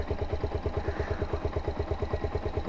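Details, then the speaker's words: SZR 150 single-cylinder engine idling after repair of a timing chain that had made a loud noise on first start. Quiet, even idle of about seven beats a second with no rattle or tick, now sounding normal. "Diba? Okay na. Normal na sa pandinig ko yung tunog ng makina."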